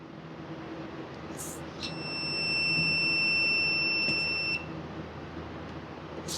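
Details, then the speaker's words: Husqvarna 150BT backpack blower that won't shut off via switch, kill wire tested with continuity tester; single high steady beep about three seconds cuts in and drops out as wire moves; broken copper inside insulation. "All right, look. There's a break right in here somewhere."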